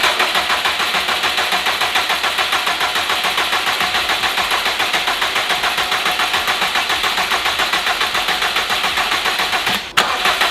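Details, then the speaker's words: 2015 Subaru WRX STI on its first start after a replacement long block (Type R block, refreshed heads), still smoky: steady, even idle with a faint tinny rattle from the broken up-pipe heat shield; sounds good. "that up pipe's a little noisy the up pipe heat shield is broken so so it's being a little bit rattly but sounds good"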